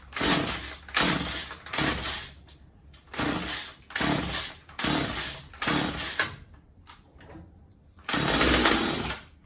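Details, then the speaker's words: Husqvarna 36 Special chainsaw after new fuel lines and filter and carb reinstalled: catches in short raspy bursts of about a second, dying out between each, won't keep running; engine starts then dies, carb needs adjusting. "Yeah, so what's happening now is the carb needs to be adjusted."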